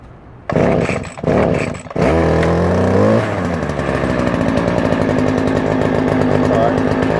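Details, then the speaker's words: 2016 Stihl FS70R string trimmer, choked and primed: a few cord pulls, then it fires, revs up and settles into an even, steady chainsaw-like buzz, running normally. "good that sounds like a chainsaw a little bit"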